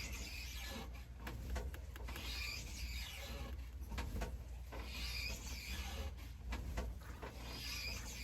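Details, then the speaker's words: Elliptical trainer in use: a rubbing squeak repeating with each stride, rising and falling with walking pace; squeaky elliptical. "The squeaky noise is the elliptical. I'm walking on the elliptical."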